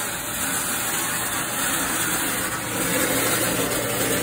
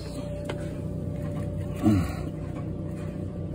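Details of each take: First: Frigidaire Gallery dryer, loud and not drying well, heard with an ear at the back of the cabinet: steady, gritty metal-on-metal scraping at the rear of the drum under its rumble. The heating element has clearance, so the cause is not yet found. Drum scraping. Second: Frigidaire Gallery dryer after heating element coil restrung and control board solder joints refreshed: steady low drum rumble with faint even hum, no metal-on-metal scraping from the rear of the drum; heat restored, normal running.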